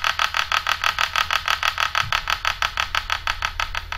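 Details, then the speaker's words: Hubsan Zino drone powered on before gimbal calibration: rapid buzzing pulses about three a second with a high whirring tone; gimbal vibrating and dancing around, to be fixed by calibration. "so you hear that see it vibrating dancing around"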